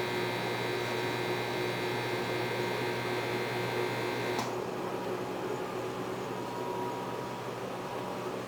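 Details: GE Spacemaker JVM1752 microwave, about a year old, at power level 5 the loud harsh buzz over a steady hum cuts in and out as it cycles (at level 10 it buzzes constantly); transformer and magnetron replaced, transformer suspected.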